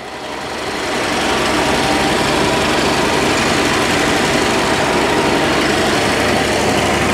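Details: 1962 Dodge D300 old six, sat about 34 years, now fed by a fuel pump wired to the battery: steady, even idle and clean rev, no misses or knocks; runs and revs healthy, before oil change and coolant.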